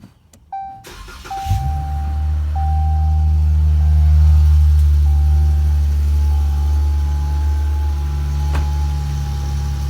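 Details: 2018 Dodge Challenger cold start: the engine catches after a crank, then a thin, steady whine rides over the loud, deep exhaust rumble; source unclear. Whine on cold start.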